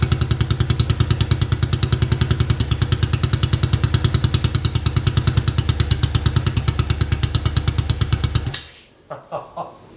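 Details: 1953 NSU Max single-cylinder motorcycle, first run after 45 years stored: even thumping about three beats a second, holding a steady idle before shutting off; it runs, tuning and harness work still to do.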